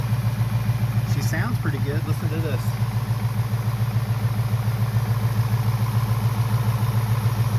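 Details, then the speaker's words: Ford Mustang GT Coyote V8 idling right after an oil change: deep, even burble with a steady beat, no ticks or misses; running smooth and healthy. "Then we'll just check the oil and reset the oil. Uh we'll reset the oil counter, too. Oh, she sounds pretty good."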